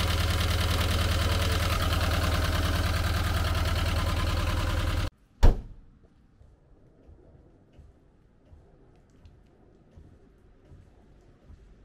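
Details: 1985 Volkswagen T25 camper van engine on high choke idle: rapid, fairly even light ticking for five seconds, then shutdown; owner thinks loose valve adjustment screws on one side cause the tapping.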